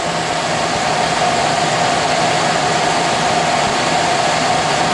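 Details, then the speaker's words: Suburban SF-30 RV furnace in an older Alpine fifth wheel, bench-tested with 12 V across red/yellow wires and blue thermostat wires jumped to call for heat: steady, even whoosh of the blower spinning up and holding speed, no rubbing or rattle; normal blower fan run. "that's just what the thermostat does when it calls for a heat it just closes the connection so do that right now see what happens okay there we go comes on"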